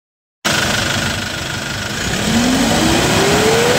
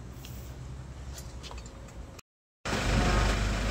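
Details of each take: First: Hyundai Porter 2 D4CB diesel with low power: revving up and down with a whistle tracking the revs and rhythmic puffing chuff beneath, compression blowing by at the number one injector; fix is replacing the injector washer. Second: Hyundai Porter 2 D4CB diesel, after repairs for low power and blow-by (injector washers, intake manifold gasket, fuel and air filters, water separator): steady low clatter at even idle, brief cut, then louder smooth run, no knocks. Normal idle.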